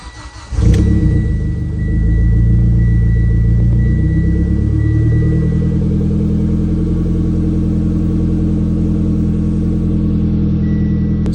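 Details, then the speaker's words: Mitsubishi Ralliart after converting the stock recirculating crankcase setup to vent-to-atmosphere with a Moroso catch can: cold start, engine catches, flares briefly then settles into a steady, even idle; normal, RPM drops slightly as it runs. "we're gonna let it warm up just a little bit, but as you can see, the RPMs are pretty normal. I mean, this is how it is on a cold start, and even if you let it run for a while, it seems to be fine."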